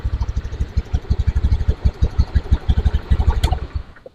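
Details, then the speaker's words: Honda Beat FI fuel-injected scooter with a rough starter and high fuel use: at idle a quick, slightly uneven putter that stays fast and never settles before shutoff; idle is always too high, checked next with a scanner. "untuk langsamnya dia jigjak ya suaranya jika dipakai jarak jauh ya sudah ibaratnya sudah dipakai motor ini langsamnya dia besar langsamnya besar ya seperti itu"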